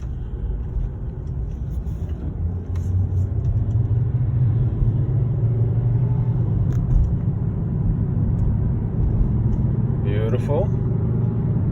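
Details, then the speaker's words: 2010 Volvo S40 test drive after replacing the front driver-side wheel hub bearing: even road rumble at cruise, the earlier hum is gone; a very faint hum remains, possibly from a tire flat spot. "horrible hum that we were hearing before is no longer present yeah it sounds good smooth and everything"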